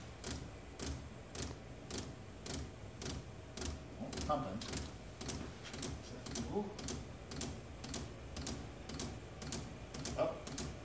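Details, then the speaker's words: Shop heater built from three 5 kW Chinese diesel heaters on temporary setup: fuel pumps tick evenly about twice a second over a low rumble, no burner roar building; heaters give up without lighting, possibly not fully primed. "oh nope they all just gave up yep or that was it just not primed enough no it was not"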